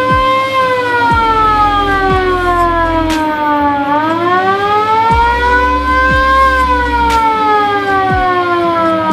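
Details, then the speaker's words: Original siren and rotator light of a VW Kombi Bay Window ambulance: loud wailing tone sweeping up and down smoothly and evenly, every cycle full strength; the original siren still works as it should. "sekarang rotator dan sirine VW Combi ambulans yang masih original Bawaan nya serem juga suaranya"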